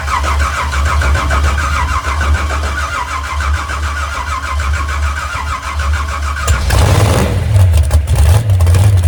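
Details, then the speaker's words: Moonshiner big-block hot rod, first start in about 7–10 months after crash rebuild, cranked to oil pressure, no throttle, fuel pump possibly off; catches and lumps unevenly, stumbling and popping; a plug wire possibly crossed; misfire. "That easy. We got a plug wire crossed or something. I never touched the gas."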